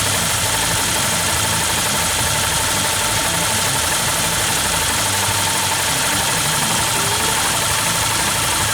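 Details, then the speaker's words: Yamaha New Vixion at idle: fast, light top-end ticking persists after tight valve clearance adjustment; rocker arm bearings wobbly, new rocker arm parts bought; valves, timing chain, tensioner to be replaced next; valve train tick. "Dan ternyata sama aja, udah setel rapat, tetap gelitik."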